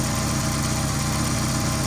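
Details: Chevrolet Aveo that backfires and is slow to start when cold but starts fine once warm, sensor signal being scoped: even steady idle with a smooth low thrum, no misses or knocks.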